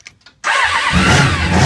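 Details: Honda VFR750 four-cylinder with carburetor trouble, suspected of running on only three cylinders: a few faint cranking clicks, then it fires and settles into a rough, uneven idle; reluctant, hard starting.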